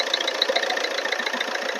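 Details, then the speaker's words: Earlier recording of a 2010 diesel Maruti Swift Dzire that ran out of oil and overheated: rough, tinny running with an irregular ticking knock at idle. The piston rings failed; adding oil smoothed the sound, but the rings are damaged. "Oil ಖಾಲಿಯಾಗಿ over heat ಆಗಿ ಏನಾಗಿದೆ ಅಂದ್ರೆ ring spell ಆಗಿದೆ."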